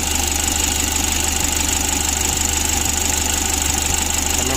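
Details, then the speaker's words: 2011 Mitsubishi L300 diesel, warm, after pump adjustment: heavy, regular clattering knock about three beats a second at idle, heavy injection knock suggesting injector problem. "di sini Kita sudah mendengar suara kemlitik pada infeksi yang berat biasanya tuh pada akhirnya templatenya itu sudah bermasalah ya"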